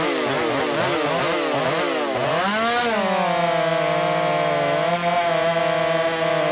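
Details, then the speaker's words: Ported Shindaiwa 757 chainsaw, 24-in bar, 8-pin sprocket, advanced ignition timing, mixture richened about half a turn after a white lean plug: screams then sags lower in the cut; clearly didn't like the timing advance and needed babying through cuts. "uh clearly it did not like the timing Advance uh I did two runs and I picked the fastest run to compare"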